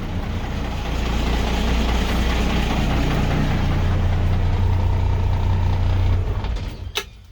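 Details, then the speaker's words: Lincoln, revived after sitting about 9 years, started on a cold day with coolant leaking; deep, steady, unbroken idle for six seconds right after the cold start before shut-off; normal idle after cold start. "Well, it's kind of cold today. We'll see if it starts. Actually, come on, gauges. Hurry up. Oh yeah, starts right up."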